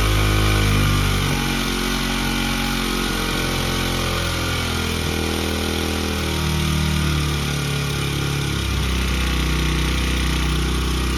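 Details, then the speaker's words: Honda CRF100F kids' dirt bike being restored, running without choke; fast, busy high idle then beat settles lower as idle screw is backed off; idle was set too high. "Okay so we've got a very hot idle it's running better than it was hurray"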